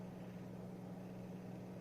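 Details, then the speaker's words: Ink-1002P 100+100W class D amplifier after a year of use, connected to a computer and using a toroidal transformer to reduce noise: steady low buzzing hum through the speakers at max volume; the owner suspects noise is picked up from the computer. "So as you can see, this is the noise that are here at max volume. This is the noise I am picking from the computer."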